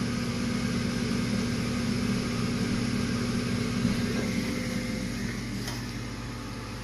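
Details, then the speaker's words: Eighty-percent furnace after replacing an out-of-balance inducer motor whose blower wheel was missing pieces and caused loud vibration: new inducer runs smoothly with a steady, even hum and low drone, no rattle. "sounds a lot better doesn't Jason the other one was missing some some of the blower wheel"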